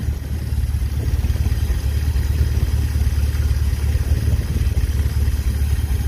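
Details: 1951 Pontiac Chieftain engine first running after months of revival, no radiator fitted: loud, unmuffled low rumble with rough pulsing throttle blips; smoke from the back, exhaust broken off between sections ahead of the muffler.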